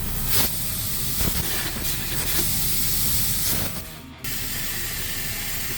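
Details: Truck PTO/dump control valve on the end-dump tower: a loud, steady hiss of escaping air from the side of the valve, draining the air tanks. Air lines were all connected; the valve's internal seal has blown, and the control unit needs replacing.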